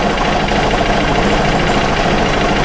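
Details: Aprilia Scarabeo 200 scooter rescued from scrap, after mechanical servicing: loud busy idle with a constant metallic rattle over the engine beat; carburettor settings had been tampered with, and the rattle may come from a lifter or from the clutch weights, unconfirmed.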